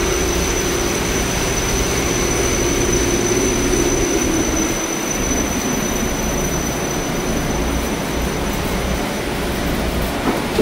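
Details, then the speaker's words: Haughton Type 601 DC gearless traction elevator machine, installed 1980s, 104 hp, 1200 FPM, very low RPM, recorded in machine room: smooth steady hum with faint high tone, no knocks or grinding; normal running. "okay machines are very low RPM for how fast they travel down there into the shaft"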